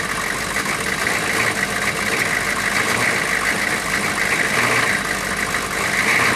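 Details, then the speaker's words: 6.5 turbo diesel first started after sitting about four to six years, low on coolant: steady even diesel clatter at idle with no misses or knocks; settled into a smooth idle, though a coolant leak was found. "but it is running and running smooth now that's a good thing so I'm going to let it run for a couple minutes not too long"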